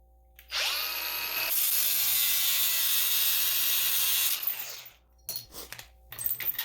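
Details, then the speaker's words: Angle grinder with cutting wheel cutting trailer chain: high steady scream, then it suddenly bogs and winds down as the wheel pinches and binds in the cut. "And I know you all could just hear how this kind of got bound up."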